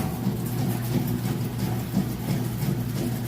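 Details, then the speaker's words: Kenmore washer in final test after 28-point inspection, agitation cycle: steady low churning hum with an even back-and-forth rhythm, no knocks or grinding; strong, normal agitation. "Okay, and now we're on to the agitation cycle. Nice strong agitation."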